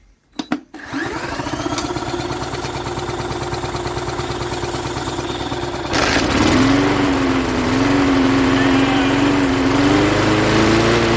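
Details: 1988 Jacobsen lawn mower with a Briggs & Stratton 3.5 hp engine, turned over with a drill because the pull-start spring is broken, on fresh gas: it catches and settles into a steady, even buzz, running well.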